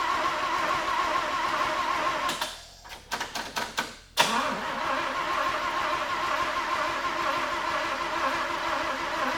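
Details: 1950 Willys Jeepster with a Chevy 194 inline six and a Rochester B carburetor, on a nearly dead battery: a few weak, uneven cranking strokes that sag and die without catching. No spark; ignition points grounded.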